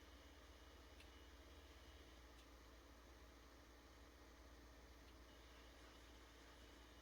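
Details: PS5 console with the Delta fan (Nidec-fan units hiss and whistle more): only a faint, steady airy hiss with no rattle, whistle or whine, how a quiet, normally working PS5 should sound.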